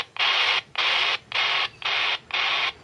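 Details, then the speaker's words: RigExpert AA-230 Zoom SWR2AIR tone heard while tuning an antenna: even high-pitched bursts about twice a second with short gaps. Antenna near 1:1 SWR, almost perfectly matched. "we are very close to one maybe little bit and then we'll be okay"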